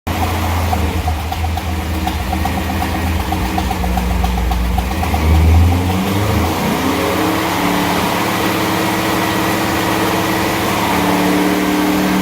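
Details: G8 engine idling: lumpy, uneven note that shifts partway through, then settles lower, cause unclear; abnormal engine noise.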